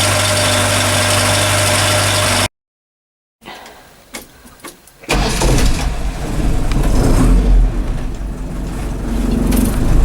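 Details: Restored Land Rover Series 3, completed and about to take its first drive, with a few teething problems still being sorted: after a brief gap the engine cranks, catches and settles into an even, steady idle without misses or knocks; normal start.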